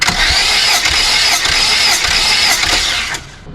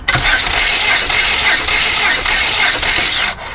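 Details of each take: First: Volvo 480 2.0 that won't start after a timing belt replacement and valve adjustment, cranking during a compression test. It spins over at about four pulses a second with an airy hiss on each stroke; there is still compression, with readings of roughly 10 to 14 bar of uncertain accuracy. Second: Cylinder 1. 12.5 bars. I can smell fuel. Cylinder 2. Almost 13.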